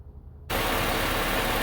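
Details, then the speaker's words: 2000 Honda Civic after re-securing a rusted, broken exhaust heat shield with a gear clamp: engine starts and settles into a steady, even idle with no rattle; normal idle. "all right so right now it doesn't sound like there's any rattle"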